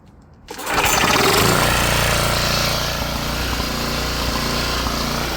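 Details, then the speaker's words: Coleman Powermate PM 1500 generator after repair, started with run switch on: engine catches at once and settles into an even, steady buzz with no surging or misfiring; runs great, normal start and run. "t's fire this thing up you it runs great now so yeah I guess I can try and plug something into it here in a second and see if it produces power"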